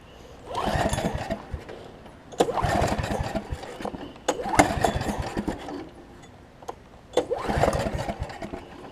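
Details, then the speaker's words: Snapper 28-inch rear engine rider mower, in neutral, parking brake on, ran just before off camera: several short uneven cranking attempts with pauses, never firing; crank no-start, cause not yet found. "I'm very puzzled though because I just had it running and now it's not now it doesn't want to start on me"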